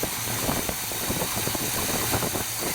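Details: Dually truck just fitted with big block V8 swap, first start: big burbling low even idle under background hiss, no tapping or misfire, over 40 psi oil pressure, possibly low power steering fluid; normal idle.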